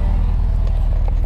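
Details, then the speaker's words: 1991 Honda Civic sedan with B20 swap at idle: steady even low rumble with no knocks, misses or lumpiness; owner says motor runs great and compression sounds good. "but you can clearly here the motor is running great I mean it sounds great compression sounds good"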